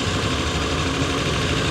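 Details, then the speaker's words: Abandoned Geo Metro LSi convertible, three-cylinder, long-dormant, warmed up with cooling fan cycling: fast steady buzz at about 1500 RPM with no dip or settling, idle too high; owner suspects an idle set screw adjustment, cause unconfirmed; no smoke or leaks. "it's idling about 1500 RPM which is obviously too high um there's probably a set screw on something this old that you can uh change the RPMs"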